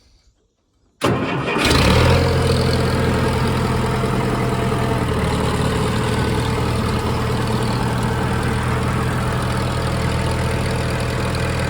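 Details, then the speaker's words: Allis Chalmers 170 tractor after replacing a bad coil-to-points wire that caused an intermittent electrical fault; cranks and catches within a second, then settles into an even, steady idle with no misses or knocks. Normal start and idle. "So I put new wire on there and we're all good to go now. But boy, this thing really runs nice."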